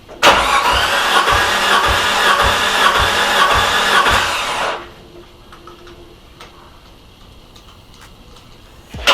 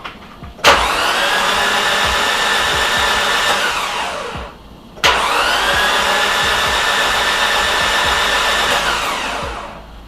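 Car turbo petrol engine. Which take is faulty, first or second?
second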